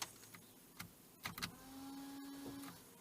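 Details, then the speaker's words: Nissan Note rear washer pump after repair: clicks then steady electric hum at constant pitch, now spraying normally; failure was caused by crud/oxide buildup on the switch, fixed by working the switch mechanism. "that we now have wash at the rear so that was the problem um just crap on the switch"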